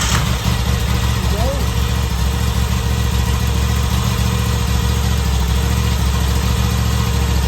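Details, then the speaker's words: 2021 V85TT V-twin started in neutral just after fitting a Mistral fuel boost plug, no dash warnings; owner hopes it cures low-speed jerkiness; starter catches at once, steady even low idle thump with no misfires; healthy idle. "So we're now going to crack it up, make sure everything works as it should. Hopefully it'll fire up."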